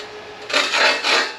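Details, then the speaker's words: California Trimmer reel mower being backlapped after about a year without sharpening: two bright, scratchy rasping grinding passes as the turning reel scrapes the bedknife; good contact, normal backlapping grind. "Oh yeah, grinding. We grinding. And then we'll put a little on and do the normal. Oh, it sounds so good."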